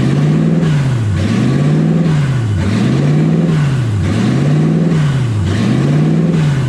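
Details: 1UZ V8 in a Ford Falcon, warmed up on its first drive with radiator hot and temperature around 160: the idle surges and drops back about every 1.4 seconds, never settling. Owner unsure why; hunting idle.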